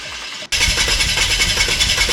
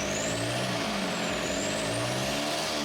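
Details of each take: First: VW TDI diesel in 1950 Willys Wagon on Jeep Wrangler chassis, first start after swap: catches and settles into lumpy, uneven idle clatter; runs rough, injection timing possibly off and later re-timed. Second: VW TDI mechanical diesel swapped into 1950 Willys Wagon on Jeep Wrangler chassis, after adjusting injection pump timing: steady, even diesel clatter at idle, no misses or stumbles, much less smoke; normal idle.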